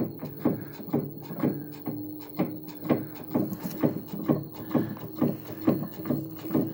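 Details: WA5451ANWXAA/02 washer: regular thumping about twice a second with a hum underneath, steady and even; something knocking once per drum turn, cause unclear.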